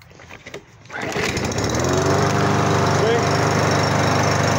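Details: Briggs & Stratton plastic lawn mower that wouldn't start because of a worn-out brake cable; after a few pulls it catches and settles into a steady, even drone with no misses or surging, running properly.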